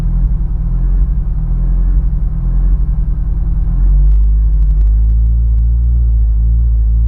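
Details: Honda S2000 with new spark plugs: deep, uneven idle with a stumbling irregular pulse that stays rough through revving blips; engine misfire.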